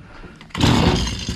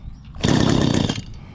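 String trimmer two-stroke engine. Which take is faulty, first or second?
first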